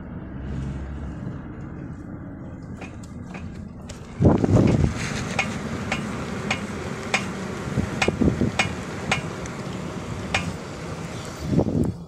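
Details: Renault Mégane 2 irregular dull knocks and clunks over road rumble when braking, from the left front; pads suspected, not confirmed.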